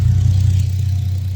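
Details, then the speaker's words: Nissan Skyline R32 GTR after R35 coil pack conversion with new subharness, car owner says still slow: deep steady idle with even low rumble settling without throttle; normal idle. "Time to start it. And as you can hear, we're running"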